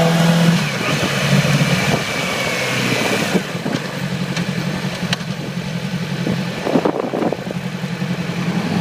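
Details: 2008 Yamaha R6: uneven, stumbling exhaust beat at idle and through the revs, lacking the smooth four-cylinder hum; fine the day before, then weak at low RPM and sluggish at high RPM and freeway speeds. Cylinder misfire from faulty ignition coil; replacing it fixed it immediately.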